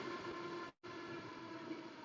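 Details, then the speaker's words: Master Airbrush paint booth with replacement Noctua NF-F12 fan on a speed controller, at the highest setting: smooth, steady rush of air with a faint even hum, no rattle or wobble; fan runs cleanly but loudly at full speed. "Now this is pretty loud at the highest setting, but the nice thing is the controller lights up, and then I can"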